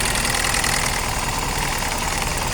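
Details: Engine idling loud and uneven with a lumpy, stumbling misfire and no power; plugs already replaced, ignition coil and one injector checked okay, problem suspected on one side; cause not confirmed.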